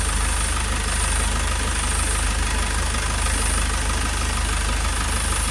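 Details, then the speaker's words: Toyota Proace 2.0 diesel running after re-sealing near the DPF face, where a washer was thought missing: steady, even idle, clean low rumble, no audible hiss or puffing. A little air is still felt; a new injector and clamp are recommended. "Okay, so you've got the engine running. That definitely seems to have fixed that problem anyway, but"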